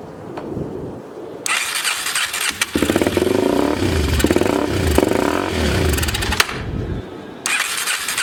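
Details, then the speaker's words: 2004 Yamaha TT-R 250, long sat, running on starting fluid spray: catches and revs in uneven surging bursts, then sags and won't hold idle; idle screw found backed all the way out, needle and seat suspected set wrong, carb needs attention. "whoa idle oh they got the idle screw all the way out thanks smoking and then well it runs"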